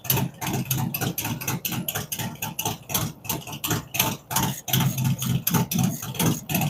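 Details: Freshly built V-twin with a cam, adjustable pushrods, aluminum intake, 5.3 injectors and Thunderx headers: a lumpy, loping idle with uneven pulses once or twice a second, steady and settled; normal idle.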